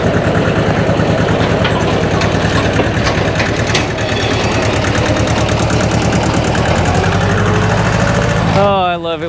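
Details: Hinomoto E230 diesel tractor, parked for years, running while an air bubble is cycled out of the fuel system: even, steady diesel clatter with no misses or knocks. It runs smoothly.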